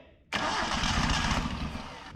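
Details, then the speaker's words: 1974 Datsun 620 pickup, revived after 45 years parked, catches on poured fuel for about two seconds with a ragged, buzzy lean sputter then dies; oil poured into cylinders may be fouling plugs, timing suspected still off ("getting too much air"). "She's trying. She's getting too much air, ain't she?"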